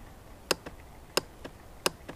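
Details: Honda Rancher TRX350 ES ATV: three sharp single clicks with faint echo ticks, no cranking; single click suspected starter relay/solenoid or starter motor; starter clicks, no crank.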